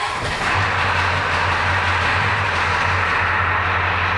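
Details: 1984 Ford F250 diesel, started after glow plugs, in neutral, after the failed brake vacuum pump was repaired: it fires up and settles into a steady low idle clatter without stumbling; the pump now pulls 26-27 vacuum versus 12 before.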